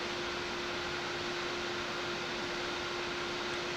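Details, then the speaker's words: Silverstone XED120S CPU air cooler on a Ryzen 9 9950X3D running Cinebench: constant loud airy rush with a steady hum and no rattle or ticking; the fan runs flat out under load. "Ooh, that CPU fan's getting seriously loud. I don't know if you can hear that fan."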